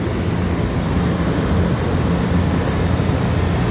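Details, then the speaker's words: Refrigeration rack compressor, after fixing mixed-up phase wiring that had it running backwards, drawing about 8 amps: low steady hum and rumble with no clanking, cycling or rattles. Normal running; sight glass and possible oil overfill still being checked. "running about eight amps and we're gonna let it run for a minute and then test it again"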